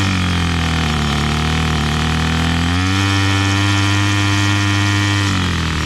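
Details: Bolens MTD BL-160 25cc two-stroke weed trimmer after carburetor cleaning and resetting low mixture screw to factory, choke off: smooth steady idle buzz stepping cleanly up to full throttle and back, no stumbling or surging; runs normally.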